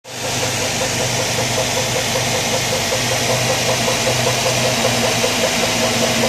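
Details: 2003 Mazda 6 1.8 petrol, idling, most noticeable on cold start: a quick, regular rhythmic rattle near the alternator after replacing the drive belt and idler pulley. The cause was a new belt 5 mm too short (2255 vs 2260 mm).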